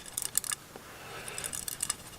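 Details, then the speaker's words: Golf club shaken in a simulated big-box-store shaft change: short bursts of light, tinny clicks each shake from loose debris rattling inside the shaft. "Okay, so you hear a rattle. All right, and it's not a rattle it's a rattle in the shaft."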